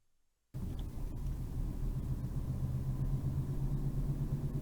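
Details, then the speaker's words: Ford Ka on road test: deep rumble with pulsing wow-wow drone and vibration rising with road speed, from a worn front wheel bearing. "what's clear is as engine Road speed increases so does the level of vibration and wow wow noise"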